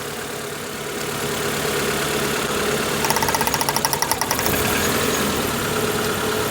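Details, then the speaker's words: Proton Wira at idle after draining old fuel and fitting new plug leads: ragged idle with an irregular stumble and sharp ticking, still misfiring. Cylinders 1 and 4 are suspected, along with plugs possibly in the wrong holes or clogged injectors. It later ran fine when warm. "It don't run very well, does it? Still running like a bag of nails, isn't it?"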